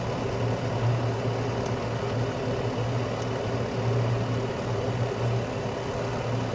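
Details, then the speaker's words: Carrier Infinity 96 (58MVB-080) direct-vent gas furnace on low stage, which it runs about 90% of the time, with outside combustion air and blower-on delay while the heat exchanger warms: smooth, quiet low hum with a soft steady rush of air, no rattles or surges; normal. "very quiet especially when running in low stage um it normally runs in low stage about 90% of the time"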